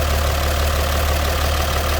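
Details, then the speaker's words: 1954 GMC 250 pickup, 248 inline six, single carb, 4-speed manual, heard with hood open at the engine bay: deep smooth even idle, steady low rumble, no knocks or misses; healthy. "easily. Smooth running vehicle. Look at the old stock style dash. It sounds as you'd expect. Inline 6 from the 50s."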